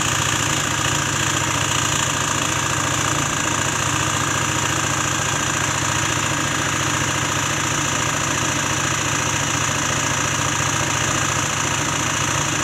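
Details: Peugeot Elyseo 50 two-stroke scooter after fitting a new cylinder: fast steady running with a fairly regular knock about three times a second; drive or bottom end suspected, cause not confirmed.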